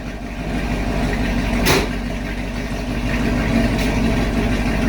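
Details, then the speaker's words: 2019 Camaro SS, 6.2L direct-injection LT1, after stuck-injector repair and oil change: steady V8 idle with an even low burble and one brief hiss, no miss or tick; good oil pressure, check engine light still on; normal idle. "But the car seems to be driving perfect now. Good oil pressure. Good oil pressure."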